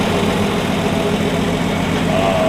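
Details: 1965 Plymouth Valiant 170 slant six, formerly stalling after 3-5 minutes from a missing heat riser boiling the carb, now with junkyard intake and exhaust manifolds: steady, even low rumble, no surging or misses; smooth idle.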